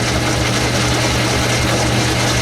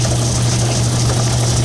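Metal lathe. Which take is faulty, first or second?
first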